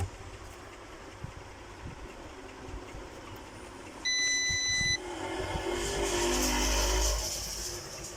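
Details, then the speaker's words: UPS/solar inverter that would not turn on, after only its internal fuse was replaced: a clean one-second beep near 2 kHz, then a soft steady fan rush as the display comes on. It powers up normally. "जी तो प्यारे दोस्तों, इसकी आवाज़ और इसका display आपको बखूबी नज़र आ रहा होगा कि ये ऑन हो गया है। हमने सिर्फ इसके अंदर एक फ्यूज़ बदला है और ये ऑन हो चुका है।"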